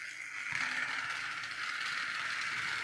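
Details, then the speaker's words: Secondhand charity-shop flexitrack toy car, plastic cover missing and patched with black duct tape, switched on: steady high whir with light gear chatter at an even pitch; the small motor works normally. "It's got a bit of black duct tape on there, but it does work."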